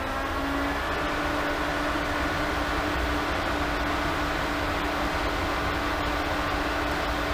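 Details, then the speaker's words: SuperFlow variable speed pool pump on 1.5-inch plumbing ramped to its maximum 3450 rpm, drawing about 10 A and 2.27 kW at roughly 82 GPM: a steady, even motor hum with one constant tone and a smooth water rush, running normally. "so here we have a super flow variable speed pump and I'm going to start it up and I'm going to ramp it all the way up to the maximum rpm three thousand four hundred and fifty rpm here we go"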